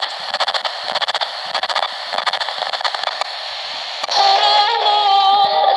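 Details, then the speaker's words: ATS-20 Si4732 SSB shortwave receiver on the 11 MHz broadcast band, used in the field: sharp clicks pop through hiss and station audio at every single tuning step, the receiver's own step-tuning click, not interference. "Вот эти щелчки, конечно же, при перестройке на один шаг, они добивают. Все желание пользоваться приемником отбивает."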